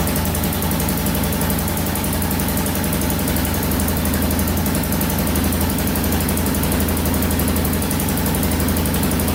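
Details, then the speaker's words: 2000 Can-Am DS 650 single-cylinder quad, not started in about a week, cold on choke after carb fix and timing chain adjustment; even fast thump at choked idle, no cam chain clatter or knocking; normal cold idle. "we haven't started this thing up in probably a week now so let's turn the gas on choke"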